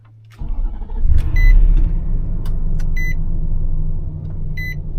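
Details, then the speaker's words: 2013 Nissan Armada after replacing an ignition starter switch with burned contacts, for a click-no-crank: a short starter crank, then the engine catches cleanly and settles to a smooth low idle, with chimes in the background. It starts normally after the repair. "I'll let it idle a little bit then I'll turn it off and try it again all right that's done better than it has uh in a while"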